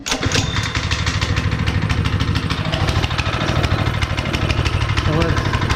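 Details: Honda GX160 5.5HP on concrete power trowel, unrun for years, first start after repair with a little gas poured in cylinder and cleaned spark plug: fast, fairly steady single-cylinder chugging, slightly uneven as it warms; running normally.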